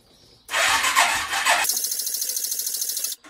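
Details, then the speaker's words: Suzuki ATV cranked right after a new carburetor was fitted: the starter drags over in a lazy, uneven chug of about nine beats a second, then cuts out. The crank is slow and the battery sounds weak, but this is suspected, not confirmed. "but jump back on the battery sounds lazy right now"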